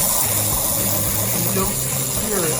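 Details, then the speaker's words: Aurora vibrator slot car (Thunderbird) before hop-up: steady low buzz with faint plastic ticking as the reed mechanism hammer strikes the inside of the body; rear axle also noted as dry. "remember I was talking about the particular sound when you can hear the read mechanism and often it would hit the inside of the body there"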